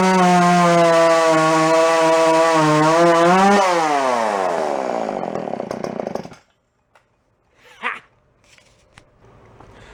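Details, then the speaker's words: Jonsered 510 chainsaw after carb work and revival, cold start: clean even two-stroke buzz, then revs drop smoothly as choke shuts it off; runs fine and starts easily. "you guys are seeing it run but that it seems like it runs fine and carb actually seems to do quite well it starts really easy now"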